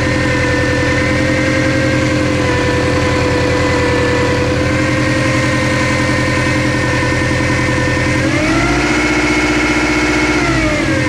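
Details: Subaru Impreza GT idling then revving: steady whine rising and falling with rpm from front of engine; owner thinks not alternator or power steering pump, suspects timing belt or a pulley.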